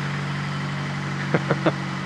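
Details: Fiat Panda 4x4 Sisley fuel-injected, cold idle at about minus two °C; steady even low hum, no miss or knock, brief clunks near end likely handling; normal cold idle.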